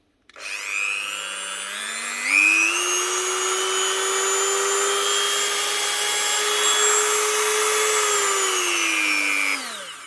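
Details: Dremel Multi Pro 395, previously squealing and losing power, after fitting two new 626 bearings: it spins up to a clean, steady high whine, holds speed evenly without squeal, and winds down smoothly. Repaired.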